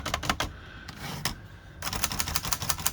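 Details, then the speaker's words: Hermes Rocket typewriter after repairing a squeaky space bar with red oil: crisp keystrokes in quick bursts, clean clicks with no squeak or dragging, fixed. "and not squeaking still looking for this cover here"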